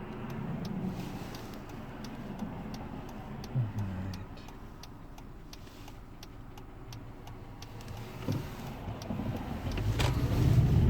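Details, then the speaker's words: 2012 Hyundai Elantra petrol engine: light regular tick about four per second, mostly 1000–2000 rpm under acceleration, faint at idle, gone when coasting; suspected engine source. "I generally hear the sound only when I'm accelerating I hear a little bit when I'm idle now but it's not to much"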